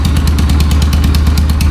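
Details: Yamaha YBR 125 ESD single-cylinder after full engine restoration: low, even thump at a quick steady idle, no knocks, ticks or misses; normal healthy idle.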